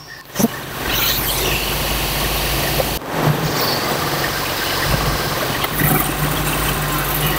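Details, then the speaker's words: 1976 Holiday Rambler RV with a Dodge 440 V8: the idle dips and recovers as the distributor is turned while adjusting ignition timing, raising the idle somewhat. The timing change later left the RV inoperable. "between the tabs I'm going to adjust the distributor oh can hear it yeah it brings up the uh idle a little bit"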